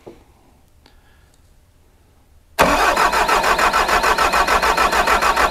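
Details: Bobcat T740 with the Doosan D34 diesel (detuned to 75 hp), no start with rail pressure control fault E001076-16, injector return lines hooked to tubes: steady fast cranking, about 200 beats a minute, never fires. Crank, no start; low rail pressure suspected.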